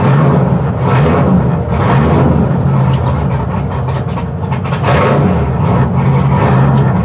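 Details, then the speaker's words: 1967 Chevy C10 broken down at a dragstrip: engine catches and idles fine, but each throttle blip brings a ragged stumble with no clean rise, then it sags and dies after about ten seconds; cause not confirmed. "You fire it up and it idles just fine until the moment you touch the gas pedal, and then it just says no."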